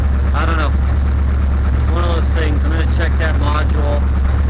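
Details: Chevelle after a no-start, spark plugs cleaned and a loose ignition module connector replaced with an original GM one, warming up: low steady idle rumble, smooth with no misses or stumbles; healthy.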